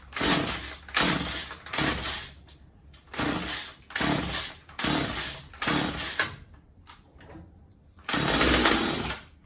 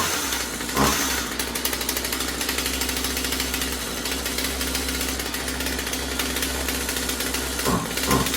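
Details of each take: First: Husqvarna 36 Special chainsaw after new fuel lines and filter and carb reinstalled: catches in short raspy bursts of about a second, dying out between each, won't keep running; engine starts then dies, carb needs adjusting. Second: Husqvarna 36 Special vintage chainsaw after replacing corroded fuel lines and filter and resetting carb high and low screws (previously maxed out) to one and a quarter turns: steady high idle with brief blips, no stalling or bogging; runs cleanly.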